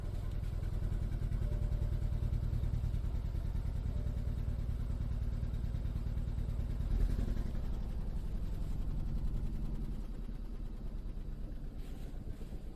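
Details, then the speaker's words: 2014 BMW 320i sedan (N20 engine) with check engine light, loss of power and smoke at start: petrol engine idles unevenly, exhaust pulse stumbling and shaking; cylinder #4 misfire, fixed by replacing the fuel injector and spark plugs. "Customer concern. Check engine light on. Engine running rough, lost of power, and smoking when starting engine. Here is a video clip of the engine running rough, smoking."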